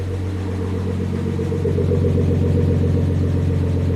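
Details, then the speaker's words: Rebuilt Nissan RB25 in a C34 Stagea, first start after engine reinstall, warming up on demineralised water before bleeding air and tuning: smooth, even six-cylinder idle with a steady low drone; healthy. "there you go, guys. The Stagea runs. I can't believe it."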